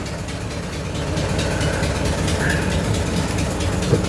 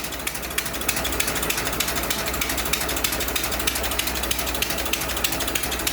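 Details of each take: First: 100-year-old 1924 Dodge truck engine idling shortly after a dry start, about 40 lb oil pressure, no smoke: quick, fairly regular ticking about four per second over the slow idle; leaking exhaust joint puffing. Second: 100-year-old 1924 Dodge truck engine idling as it warms up and slows down, no smoke, 'like an old log wagon': light, steady ticking clatter about three beats a second with no misses; normal warm idle.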